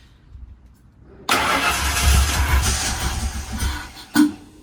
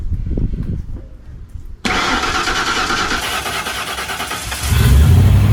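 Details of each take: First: First start of a fuel-injected Ford Explorer 5.0 V8 with 4R70W swapped into a 1968 Mustang; catches first time and settles into a strong rumbling run with a quick blip, starting and running cleanly. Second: 1968 Ford Mustang with a fuel-injected 5.0L V8 and 4R70W transmission swapped from a 1996 Explorer, first start after the swap, temporary intake. The starter cranks steadily, the engine catches and roars briefly, then dies instead of idling. Cause unconfirmed.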